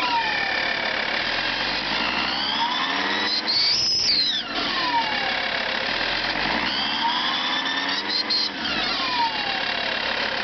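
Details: Lancia Thesis 2.4 JTD diesel at cold start, revving up and down: a whistling tone climbs and falls with engine speed; cause unknown, owner seeking diagnosis.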